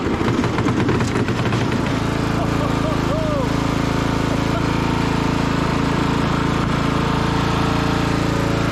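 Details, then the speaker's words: 1996 Craftsman LT1000 lawn tractor single-cylinder engine after installing a used replacement muffler for a cracked one and a new coil, jump pack attached: ragged start, then steady even chug with clean exhaust beat; runs healthy. "okay the new used Muffler is installed the engine cover put back on got a new coil the jump pack on let's see if we'll start up all right that sounds a lot better"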